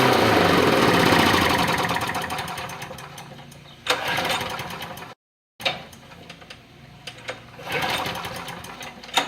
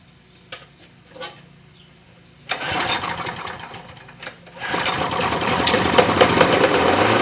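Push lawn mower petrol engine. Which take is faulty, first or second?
first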